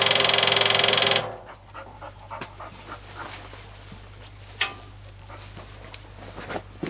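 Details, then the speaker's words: 1974 Jeep CJ5 rock crawler revived after sitting, key turned to accessory: the electric fuel pump gives a harsh, fast buzzing whir for about a second, then stops. It is running dry with no fuel, and the inline fuel filter is also bone-dry. "so that so the fuel pumps working its that that's the sound of a dry fuel pump though"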